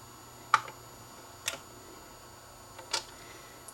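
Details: Dual 1219 turntable after fixing a slightly bent part that stopped the motor shutting off: a few sharp, spaced clicks as the changer mechanism cycles to stop over a quiet room; the stop sequence is normal.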